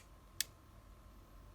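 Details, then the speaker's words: Kia Sorento Mk1 ETACS/comfort controller, green B15 unlock output wire touched to negative with LED test lights; single crisp click as the door unlock relay pulls in; normal relay operation. "So you can see the LED is lighting up there. You can hear the relay."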